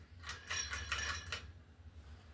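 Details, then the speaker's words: 42-inch SMC U42 ceiling fan with repaired blades and light kit: burst of glassy clinks and rattles over low fan hum when the pull chain is pulled; light kit rattle from bulbs hitting the glass shade rims. "It rattles a whole bunch when you pull the chain. That's what it did whenever I recorded the video of it before, because the bulbs are hitting the rims."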